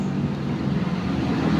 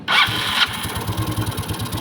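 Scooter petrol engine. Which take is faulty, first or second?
first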